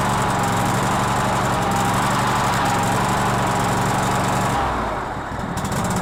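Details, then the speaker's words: Cub Cadet LT1046 riding mower: engine chugs about three beats a second with uneven, lumpy rhythm; running rough, owner suspects a fuel problem, possibly flooding. "this is my mom's Noir and she said it kind of really runs like crap so I don't know what's going on with it exactly but let's check it out"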